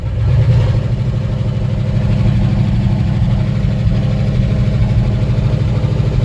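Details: One-ton truck sitting 20 years in a field, first start, sparking seen near clutch linkage: old V8 catches and settles into steady even low rumble, no knocks or misses; normal running.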